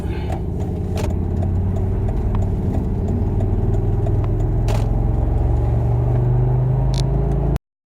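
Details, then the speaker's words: Volvo XC90 T5 five-cylinder running rough, down to 4 of 5 cylinders after the owner put boat gas in it: an uneven, lumpy idle stumbling three to four times a second. The dead cylinder was traced to a failed ignition coil. "Car's running like garbage. I think it's down to 4 cylinders from 5."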